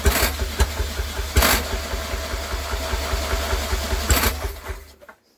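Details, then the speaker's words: Villiers WX11 engine with a confirmed good spark gives a few sharp, irregular pops about a second apart that never build into a run, then coasts to silence. It fires but won't catch; owner unsure whether it is over-fuelled, under-fuelled or the air is wrong. "I'm pretty sure the spark on that is fine I mean you can distinctly hear it igniting but it's just not picking up and catching"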